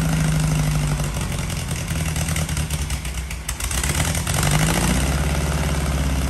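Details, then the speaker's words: 1968 VW Baja Beetle flat-four after fixing wiring faults, bad starter and cleaning key-cylinder terminals: low throaty chug dips and blips, then settles into steady idle; engine running again before carburetor and timing adjustments. Normal idle. "i got it running again finally"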